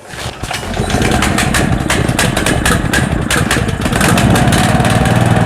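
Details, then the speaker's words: Loncin LC192F single-cylinder petrol engine, 20 hp, 4100 rpm, 95 petrol, choke closed for start: a couple of pulls then catches and climbs to steady even chug, runs without vibration; normal start and run-up. "цього заслонку ховається двигун працює рівно без вібрацій"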